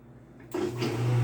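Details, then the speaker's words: Whirlpool washer in manual test mode, drain pump switched on for a 10-second check: a low steady hum starts abruptly and holds an even pitch with no rattle or grinding; the drain pump works normally. "hear that the drain pump turned on we are going to give it 10 seconds just to check if the drain pump works"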